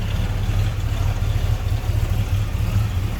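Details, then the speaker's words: 1978 Pontiac Trans Am 400 (6.6 L) V8 idling, heard from the rear: deep, steady low burble with an even loping beat, nothing tapping, not smoky; a healthy normal idle. "Nice little rumble out of that, like I said, 400 or 6.6 liter. Sure sounds good. Not really smoky or anything."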